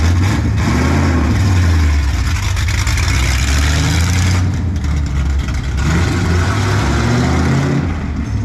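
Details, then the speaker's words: Mopar race car "Junkyard Jet" V8 near end of break-in, long-duration camshaft, fuel pressure around 6 psi after new regulator: deep, lumpy, loping low idle, nothing knocking; normal idle from the long cam. "sounds good you know what the duration is on that camshaft duration long"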